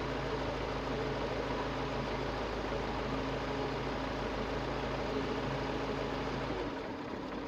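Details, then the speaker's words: Carbureted car with a DIY temperature-sensor idle speed control, mic clipped to the hood: raised steady fast idle, then the hum drops and settles lower as the fast idle cuts out near 48°C. "tuh kan pelan sendiri udah mati nanti kalau misalnya dingin otomatis"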